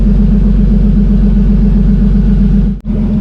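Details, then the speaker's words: Turbo BMW E30 on E85 with new fueling table, coming up to temperature: smooth even idle, steady low thrum, no misses or knocks; AFRs a little high but sounds good. "So the car is starting to get up to temperature. AFRs are a little high, but it's fine. It sounds good."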